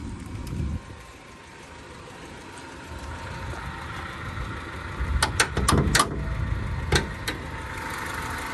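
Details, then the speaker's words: Honda City Type Z, original-owner car, idling with the air conditioning on: a very faint, smooth idle with a few handling clicks nearby. Very quiet engine, revs normally; normal idle. "อ่ะกดสตาร์ทได้เลยเครื่องเงียบมากครับระบบแอร์นะฮะปรับเร่งได้ปกติเลยนะครับ"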